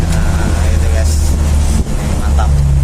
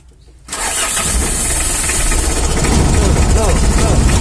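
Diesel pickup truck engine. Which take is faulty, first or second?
second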